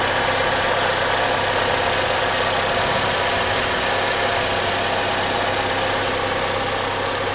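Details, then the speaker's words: 2003 Chevy Cavalier just after engine, transmission and exhaust manifold swap from a donor car, first start with oil burning off the manifold: steady, even idle hum, no ticking or puffing; manifold sounds sealed, no leak. Normal idle. "Sounds like the manifold is sealed well. Yeah, I don't hear anything."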